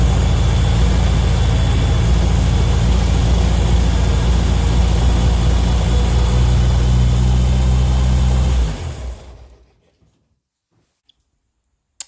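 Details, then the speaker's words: Turner Ranger four-wheel-drive tractor, 1098 A-series petrol engine, unused six months; sooted, petrol-wet plugs cleaned, choke off: catches and settles into a steady even low chug for about eight seconds, then shuts off cleanly; starts and runs fine, battery weak. "well as you saw there it started in run fine"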